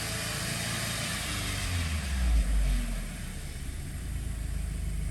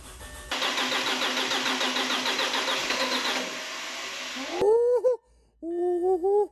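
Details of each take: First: 2007 Audi A4 2.0 FSI/TFSI, 141K miles, rebuilt engine during initial break-in: short rev picks up cleanly and drops back below 1000 rpm to a steady idle, slightly high-revving with slight shimmy, no misfires or check engine lights; normal. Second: 2007 Audi A4 2.0 FSI, 141K miles, first start after engine rebuild for low oil pressure: about four seconds of cranking before it catches and revs twice, sounding fuel-starved; hard start from fuel starvation.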